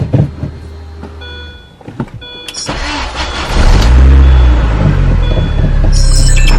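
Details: R53 Mini after spark plug and plug wire replacement and refitting an air duct boot found pulled off the throttle body, which was suspected of causing a hunting rough idle; clicks, then engine cranks, catches and settles into a steady, even idle with no hunting.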